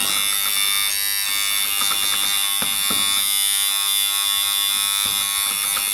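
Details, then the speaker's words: Alfa Laval refrigeration system, new liquid line solenoid valve coil energised: constant harsh high-pitched buzz; loose coil suspected, case may need pinching; reduces to a hum once gas is in. "I remember reading somewhere that if you get one that's buzzy, you might have to just pinch the case in a bit, because I think a lot of the noise is if the coil's loose"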